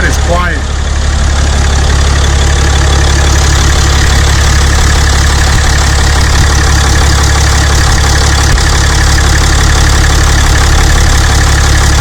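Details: 6.7 Cummins diesel just fitted with a Smeding S369 SXE turbo and refilled with coolant: a steady, even idle with a deep drone and uniform light clatter, no misses or knocks, a healthy, quiet-running engine.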